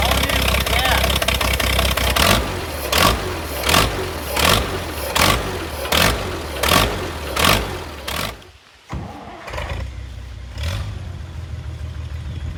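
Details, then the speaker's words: International 656 gas tractor, long sitting, started on a jump pack: uneven chuffing bursts about every three-quarters of a second, then it stumbles and dies; carburetor float needle sticking and overfilling with fuel, carb to be cleaned. "This is our float down here. Our float needle is sticking as it is overfilling with fuel."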